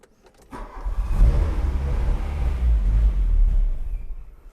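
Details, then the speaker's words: 1985 Volkswagen Cabriolet that sat 10 years, fuel pump running: engine catches and runs rough about three seconds then dies; starts then stalls. "Wow. Yeah, fire right up. It's not staying running, but we'll try it again."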